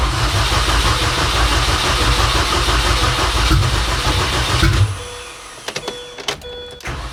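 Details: 2006 Mini Cooper S R53 after cylinder head swap for a broken head: cranks, catches and runs with a steady, even roar for about five seconds before shutting off; a clean start with no knocking.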